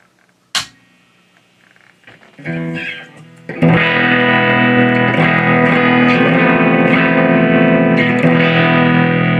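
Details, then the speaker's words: Fender Blues Deville 4x10 amp (1993-96), two 12AX7 preamp tubes, tested at low volume with guitar: chords harsh, fuzzy, thin with buzzy edge, far too quiet; output barely functional, distorted weak output from faulty output stage. "That is a really dreadful sound. Not only because it sounds terrible, it could be indicative of a major problem."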